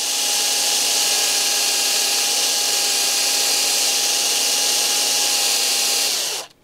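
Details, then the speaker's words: WPL C44KM metal edition RC truck rear axle, new tight gears spun with a drill to run in: steady high whine at even pitch for six seconds then spins down; stiffness blamed on poorly machined brass parts. Stiff gears. "so ein bisschen eingelaufen und ja ja das liegt natürlich an den messing teilen die wirklich schlecht gearbeitet sind"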